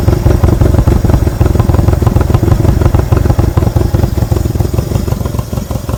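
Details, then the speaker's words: 1963 Honda CA95 Benly (Baby Dream) barn-find motorcycle with original parts, running after sitting with oil; deep, steady thumping like thunder, even pulses with no knocks or rattles, no oil leaks, healthy. "Wow, what a cool sound. Like a thunder"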